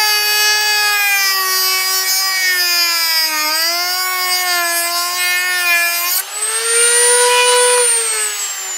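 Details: Jorgensen corded 120 V rotary tool (10,000–35,000 RPM, 6 speeds) at setting 6 with a cutoff disc through pine: high, steady whine with slight pitch dips and no bogging, unlike the lower speeds; cutting normally.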